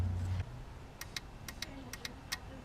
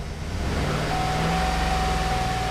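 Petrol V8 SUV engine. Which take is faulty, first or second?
second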